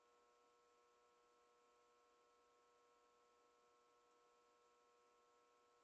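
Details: Whirlpool ACQ122XK0 window air conditioner, about 15 years old and stored most of that time, worked 5 minutes then gave a muffled-fan sound; now only a faint steady electrical hum with no fan or airflow, even in fan-only mode; fan not running, owner unsure if compressor or fan.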